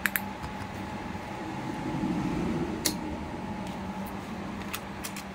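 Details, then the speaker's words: Two 1,000 W grid-tie inverters that showed errors and wouldn't run, with a stiff cooling fan; after oiling the fan, a steady, even whir with no rubbing, and both fans and both units run and produce power normally. "พัดลมทำงานปกติทั้ง2ตัวแล้วตัวเครื่องทำงานได้ปกตินะครับรันได้ปกติผลิตไฟปกติ"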